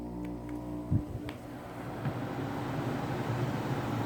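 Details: Danby Idylus 12,000 BTU portable air conditioner, first startup of the year on a warm April day: thump at switch-on then low steady hum and smooth building fan rush; compressor started instantly. Normal compressor startup.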